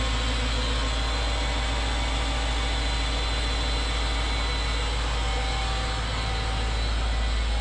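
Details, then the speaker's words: Mercedes CLS55 AMG M113K supercharged V8, cold start after sitting, cold weather, following billet UPD idler pulley replacement: constant loud roar with fast even flutter at idle; owner unsure, maybe supercharger or cold, not pulleys; loud engine noise. "anybody has any guesses that noise didn't go away after it warmed up um not sure what it was it didn't sound like it was coming from the pulleys maybe the supercharger"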